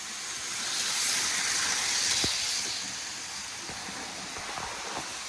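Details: Hornby R693 High Speed Train set from around 1990, HST running around the table: light, even high whirr with soft clicks from the track joints; the little motor runs smoothly, normal running.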